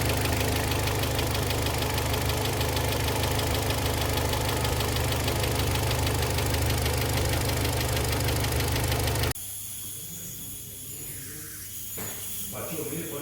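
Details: Kia Sportage 3, 122,000 km, cold idle before service (oil change from Shell 5W-30 to NGN 5W-40, throttle and injector flush): steady dull metallic knock about three per second; the knock went away after the service, and a timing chain replacement is planned.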